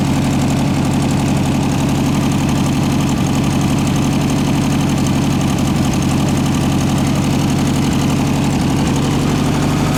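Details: 1967 VW air-cooled flat-four (ragtop), long-stored, on old stale fuel with fan housing off; deep steady thrum with even firing, no knocks or misses. Running smoothly and strongly.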